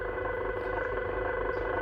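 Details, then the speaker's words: Reef Factory KH Keeper alkalinity tester after one month of use, dropping reagent into the test cup. A steady mid-pitched mechanical whir throughout, loud and audible from across the room. "And as you can hear, guys, it is noisy. What it's doing is it's dropping the reagent."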